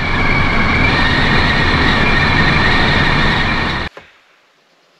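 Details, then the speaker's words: Pössl camper van at about 50–70 km/h: steady high whistle over heavy wind and road roar from the front 50x70 cm Midi-Heki roof vent seal; fixed with an added sealing strip. "aber ab 50 60 höchstens ab 70 Stundenkilometer pfeift es ganz fürchterlich und zwar hört sich das dann so an"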